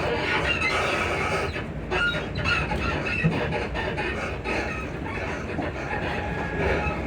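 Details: Class 334 train (334031) between Edinburgh Park and Uphall toward Bathgate: rail rumble and clacks with intermittent high squeaks while moving, thought to be from the suspension.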